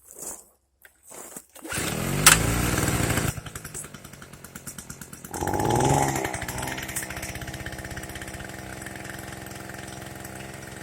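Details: Small two-stroke generator after a carb fuel-leak repair: pull-start on choke with the ignition on, then it catches, revs up and settles into a steady, even buzzing run.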